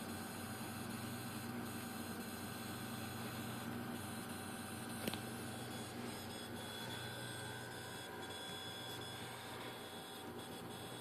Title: Pentium iii making strange noises